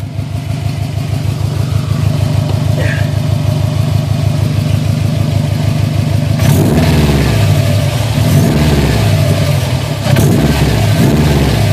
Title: Sti strange noise